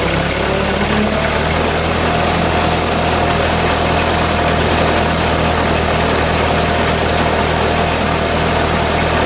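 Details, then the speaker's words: Ford 2N tractor driving off-road under load after being revived, governor working: a steady low engine drone with a loose, busy rattle on top; the cause is unknown and the owner will look it up later. "i don't know why it's rattling like that it just doesn't sound right i'll look that up later maybe"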